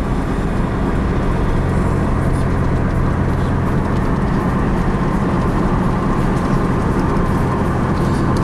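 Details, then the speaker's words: 2003 Pontiac Grand Am GT driving with windows down; steady low hum under road and wind noise, felt in the wheel; front grinding noise traced to bad front wheel bearing. "even with like the windows down and open you can still hear this uh you know hum I can feel it in the wheel"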